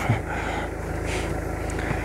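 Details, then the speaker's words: Renault Megane 2 blower motor at speed 4 (speeds 1–3 dead, bad resistor): fast regular ticking scrape over the fan whir; mouse-chewed broken blades unbalance at speed and hit the housing, motor itself fine. "merge jar Deci motorașul nu ar fi defect problema lui este că are rupte aceste pale și acum Atinge în carcasă acel zgomot ce l auzea este că se descent trează la turație și atinge în carcasă"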